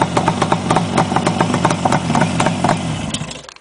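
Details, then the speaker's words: 1967 Yamaha YR1 350 Grand Prix two-stroke started cold on choke at about 25 degrees, baffles removed: crisp popping idle at an even lope, no excessive piston slap or rattle; sounds healthy. "as you can hear it sounds pretty tough without the baffles motorcycles nice no excessive piston slap that's working"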